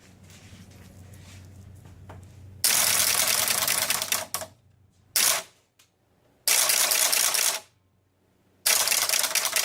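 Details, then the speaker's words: Pinball machine (Captain Fantastic) score reel reset: bursts of rapid clattering ticks about three a second with pauses as reels step through reset, but the top score wheel stops short, usually on five. "this wheel right here is sometimes not ending up it's strangely most of times when it hasn't worked it's ended up on five I don't know why"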